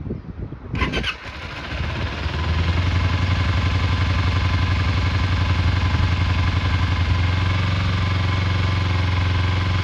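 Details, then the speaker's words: Kawasaki Eliminator EL 250 twin during restoration, first cold start of the day on reserve fuel with choke: starter whirs briefly, catches at once, steady even idle dipping slightly as choke comes off; runs sweetly. "Get on. Choke off. And then we'll try and go forward. Seems absolutely sweet."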